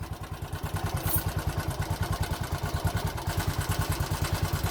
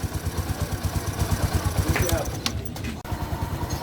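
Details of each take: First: 2020 Bajaj Boxer X150 motorcycle at idle before repair: hard, rapid thumping with a hollow knock on each stroke and violent engine shaking; opening the engine found a worn piston rubbing the cylinder walls, fixed by replacing the piston. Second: 2020 Bajaj Boxer X150 single-cylinder after piston replacement: even putter about three beats per second, no knock; idles smoothly and healthy.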